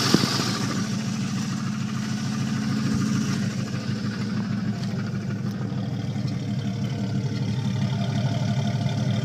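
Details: 1989 Jeep Cherokee idling with a deep, rapid knock running steadily under the exhaust note; suspected bad rod knock.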